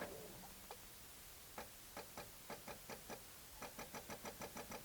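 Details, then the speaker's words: Newly acquired cheap project car, first crank attempt after key on: slow, uneven starter turning about three beats a second, gradually quickening but never catching; cranks, no start. Owner suspects a weak battery, not confirmed. "Oh yeah, so that's really bad. So I think it could be an issue with the battery. Could be that we don't have sufficient juices on the battery."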